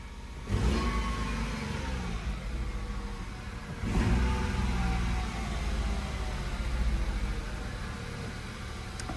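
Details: Nissan Note from Copart (locked, no keys), started on a cold morning, service overdue; starts, settles to steady idle, revs up cleanly and drops back with no knocks or rattles; normal running and revving.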